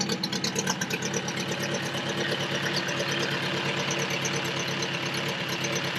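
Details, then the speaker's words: 1979 Toyota first-gen 4x4 pickup, built engine with lower compression pistons and cam, no exhaust, first start after sitting two years: loud, choppy idle, uneven pulses around two per second, raw exhaust bark; lope from cam and open exhaust. "you guys can hear that this thing doesn't run quite like a normal one would um but a few years ago me and skyler my buddy that owned this before we did a lot of work on the motor it's got a cam in it also no exhaust you can probably hear that for sure"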